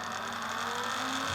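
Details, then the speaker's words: Sealy SuperMig 150 welder tested after repairing the feed motor control PCB (shorted bridge rectifier replaced with discrete diodes). Speed turned down, wire feed motor gives a steady, even low whir at slow speed with no catching. Owner unsure motor polarity was restored correctly. "okay and then what we'll do is we'll vary the speed [Music] and then that's slow speed"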